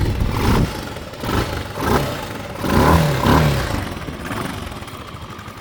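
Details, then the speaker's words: 1984 Honda TLR200 (JDM MD09) single-cylinder bike, 4,901 km, freshly serviced with new air filter and plug, kick-started slightly cold: catches and settles into a soft, slightly uneven idle, no rattles or knocks, runs cleanly; normal cold idle. "A little bit cold. As you can hear, lovely and quiet. No rattles, no knocks I should say, and just overall a beautiful machine."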